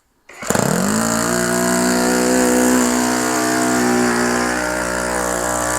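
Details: OS FS-120 Surpass 20 cc four-stroke methanol model engine, fully restored with new ring, running in on a 15x8 propeller; fires up into a strong, steady high buzz without sagging or surging, mixture still slightly rich; normal running.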